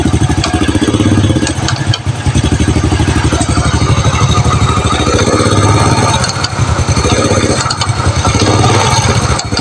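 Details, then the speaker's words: Honda Supra Fit New at idle: rapid metallic clatter riding over the idle and following engine speed, from the clutch housing; common fault of this model, attributed to a weak spring on the automatic clutch. "Jadi suaranya seperti itu ya. Ada keletek keletek keletek keletek dan keletek ya. sangat memusingkan dan sangat membingungkan ya."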